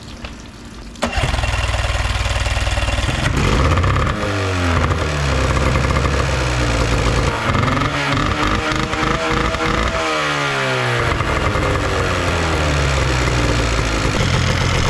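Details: 1990 Evinrude 9.9 outboard after carburetor cleaned, fully rebuilt and reinstalled: catches after a second, revs up and back down smoothly, then settles into a steady, even run with no misses or stumbling.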